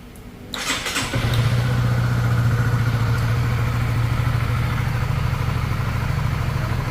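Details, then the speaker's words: Honda CB150R after overhaul for timing-chain klotok noise, new Ataka head and adjustable tensioner: starts within a second into a steady, even idle with no tapping; smooth throttle. "โอเคตรงนี้นิ่มนวลคันเร่งก็นิ่มนวลเช่นกัน"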